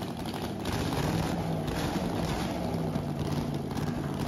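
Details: 1969 Pontiac 350 V8 (low compression, mild cam) on its first dyno start-up: ragged, stumbling chug with missing pulses from a couple of dead cylinders; misfire, cause not yet found.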